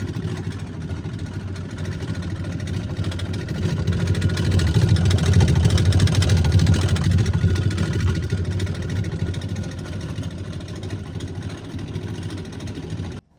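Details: LG refrigerator LFX25960ST, error ER F1, fresh food section not cold: loud low rumbling drone with wobbling throb from the evaporator fan with broken blades; fan motor and blade replacement.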